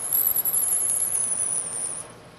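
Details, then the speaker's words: Lathe drilling fed by hand from the tailstock: a high, thin squeal wavers, then fades as the drill stops. The flutes are packing with chips, so it is time to withdraw the drill and clear the chips from the hole and flutes. "the squeaking you hear there is often a very good indication that you've gone far enough with this pass and it's time to remove the drill and clean the chips from the hole and from the flutes of the drill"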